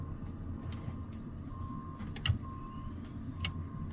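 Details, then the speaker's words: Learjet, sitting for years, battery on, fuel pumps (jet pumps, transfer, crossflow) switched on: faint steady mid-pitched hum switching in and out between sharp clicks; electric fuel pumps running normally. "I mean, everything the fuel pump wise seems to be working. It's making noises."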